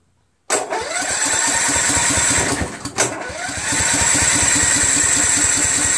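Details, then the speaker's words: Husqvarna YTH21K46 with Kohler Courage 21 HP and a new carburetor, magneto corrected: starter spins the engine steadily over two tries but it never fires; no fuel getting through, runs only when carb is sprayed, suspected faulty fuel shutoff solenoid. "it's obviously not getting any fuel so I just removed the air cleaner cover and there's the air cleaner"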